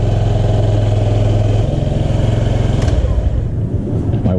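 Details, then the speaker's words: 2005 Honda Metropolitan scooter after its bad fuel pump and filter were replaced: a low, even putter at a steady idle, with the small single running cleanly and no stumbling or misses. Normal idle. "So, it is running. So, that was the problem. Had a bad fuel pump."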